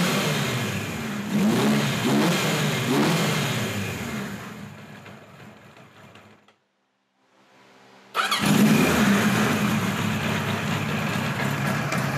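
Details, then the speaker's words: 1976 Kawasaki KZ900 A4 project bike on its first run after fueling the carbs: it catches and revs unevenly, sags away and dies, then restarts and runs ragged and unsteady; hard starting and rough running. "the clips you just saw were running yesterday I didn't want to keep you in suspense any longer and it doesn't run that well as you can see I had a little trouble starting it"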